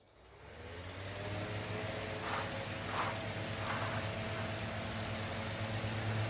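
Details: Fan after replacing a suspected bad capacitor; before, it hummed but the blade wouldn't turn. Now the hum climbs smoothly as the motor spins up within a second, then holds a steady, even drone with no rattle or stall.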